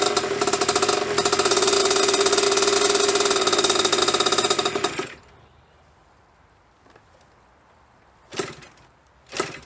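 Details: 1998 KTM 50 two-stroke: it buzzes raggedly for about five seconds, then dies abruptly and won't stay running. Cause unknown; the owner wonders whether the clutch is bad.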